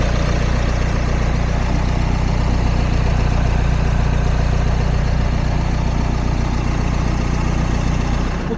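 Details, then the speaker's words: 2019 Nissan X-Trail T32 2.0 dCi (M9R, 177 hp, Xtronic, 128,000 km, engine mount replaced): steady low diesel idle with light even rattle about three times a second from the engine cover touching a pipe, not an engine fault. "При работа на двигателя има един специфичен звук, който ще чуете. Той е от кората на двигателя, която опира в една от тръбите, не е от самия двигател."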